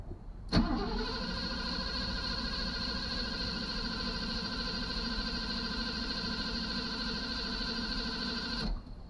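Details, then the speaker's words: 1983 Mercedes 380SL, not run since its previous owner died, first start attempt: strong, steady starter cranking about eight seconds with oil pressure but no firing and no fuel pump hum; owner suspects fuel pump not running, despite half a tank. "sounds good and strong i have oil pressure but nothing happening so so i'm not getting i don't hear a fuel pump so my guess is there's no fuel"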